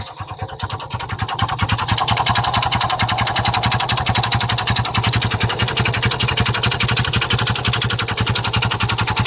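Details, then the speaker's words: Kymco Visar 110 scooter engine before repair: fast, steady, evenly spaced knocking over the idle from a worn connecting rod, later cured by fitting a new crankshaft assembly. "Before natin paandarin ang kaniang motor guys, nais ko muna iparinig sa inyo ang motor niya nung hindi pa natin siya pinalitan ng connecting rod."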